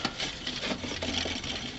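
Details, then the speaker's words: Alternator just removed from a 1998 Land Rover Discovery I, spun by hand: dry, gritty rasp with fast uneven chatter; sounds rough and worn inside, being replaced. "you can hear does not sound very good"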